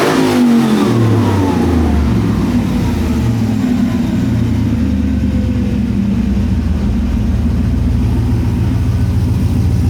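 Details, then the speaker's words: Scout with new custom-cut exhaust, first start, O2 sensors not yet fitted: engine blips and settles into a steady, even burble, no ticking or puffing at joints, no leaks heard: healthy exhaust note. "I don't hear any leaks. I'm not going to let it get too hot. Man, that sounds sweet."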